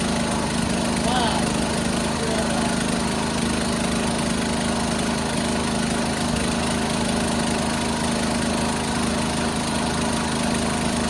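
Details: 1976 John Deere 300 with a binding starter, finally started after a hard start: a steady single-cylinder chug at a fairly even beat with no misses or knocks; running normally.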